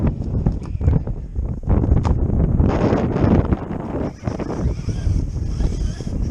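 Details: ARRMA Kraton RC car: irregular sharp clicks in bursts over wind rumble; unknown clicking noise, cause not pinned down.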